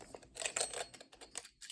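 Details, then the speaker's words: Cheap plastic Westclox alarm clock, knocked hard off a nightstand, is shaken, giving irregular bright metallic clicks and clatters from loose internal parts rattling inside. "you can hear stuff rattling around in there um probably going to be a bit of Carnage but I'm going to try to fix it up"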